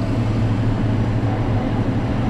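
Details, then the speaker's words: Perlick Quick Chill Power Pak glycol beer system freezing its lines; compressor and condenser fan hum steadily and never cycle off though the thermostat reads off, letting it reach 25°; cause unconfirmed; compressor not cycling off. "Convincing it's running. The thermostat says it's off. If it's off, why would this be triggering? Why would this be on?"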